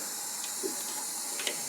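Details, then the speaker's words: 1977 Datsun L28 engine, off the road since 2010, leak-down test: steady air hiss with faint bubbling as air crosses into the next cylinder; blown head gasket. "Yeah, I think that settles it. Blown head gasket. Honestly, relatively easy fix as long as, you know, the head is not completely burned out through the two."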